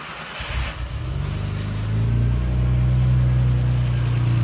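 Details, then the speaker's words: RB26-swapped 300ZX (Z32) after a full custom fuel system (800cc injectors, Tomei regulator, new rail): brief crank, then fires into a smooth, steady low idle with no misses or knocks; fuel pressure read 70 psi, needs adjusting to 45. "All right, so it's at idle. Let's see what our fuel pressure's at."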